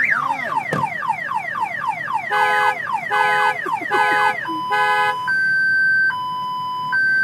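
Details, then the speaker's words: Car owned about 8 months, with an aftermarket remote starter that had no battery when bought. Rapid falling chirps, then pulsing warbles, then two steady alternating tones; the starter's built-in alarm has been set off. "the car starter must have its own alarm the car starter didn't even have a battery in it when i bought it"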